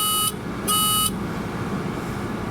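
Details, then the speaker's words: 1988 Mazda RX7 rotary with a no-start, diagnostic checker connected at key-on: a steady electronic buzzer beeps three times, flashing fault code 03. "03 beeping three times. I don't know if y'all can hear that."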